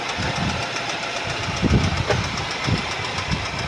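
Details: 2012 Mercedes-Benz C180 S204, 1796cc M271 petrol, 115 kW, 159,658 km, idling: heavy irregular knock thudding through the low end every moment or so; crankshaft knock.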